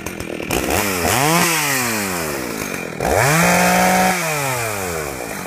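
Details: Husqvarna 61 chainsaw: revs climb and drop unevenly, stumbling with popcorn-like popping as spark cuts out; the kill switch wire was loose, bouncing in the case and shorting intermittently.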